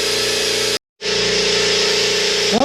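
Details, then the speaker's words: New Stealth 20-gallon twin-piston air compressor during break-in run; even steady pump drone with a regular fast pulse, no knocking, much quieter than the old compressor. Normal running. "when it was on yeah you can hear nothing's gonna fall apart but that thing is a lot quieter"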